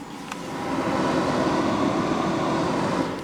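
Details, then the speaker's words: Pyle-Pro PTA1000 1000W DJ amplifier, microphone at front: soft steady rush of air from cooling fan, no ticking, rubbing or whine; normal fan airflow. "if you can hear on the microphone there there is a good flow of air coming out that front"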